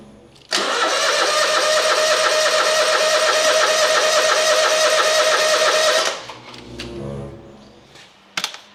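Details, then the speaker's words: Hustler zero-turn mower: starter spins steadily, about three turns a second for over five seconds, but the engine never fires. Crank-no-start; the customer said the choke is broken. "it's not [Applause] starting I had to do this when I brought it in getting full chage oh that's right the choke is broke I forgot the guy told me that"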